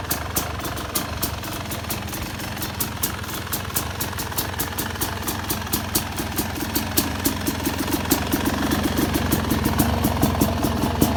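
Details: Yamaha YZ250X two-stroke idling with the pulser coil set to more ignition delay (retarded timing): an uneven, lumpy, lazy idle with sharp irregular pops a couple of times a second.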